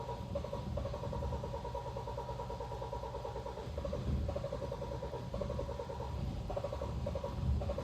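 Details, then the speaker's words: Kia Sportage G4KD 2.0, 2013, 160,000 km, automatic AWD, first start after engine rebuild for piston scuffing: starter churns steadily without catching because fuel drained from the rail when an injector came off; long cranking before pressure builds. "давление уже пошло машины запустилась у него форсунка слетала топливно с рампы то есть топливо полностью сбегала с реки но так долго тоже обычно не накачивают"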